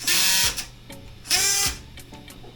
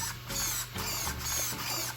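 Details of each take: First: Team Associated Rival MT10 RC truck, harsh high-pitched strained buzzing bursts about a second long each time it steers; steering servo worn out. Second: Team Associated Rival MT10 RC truck: short crisp bursts of high electric whirring as the steering sweeps side to side, quick and even; the servo works properly.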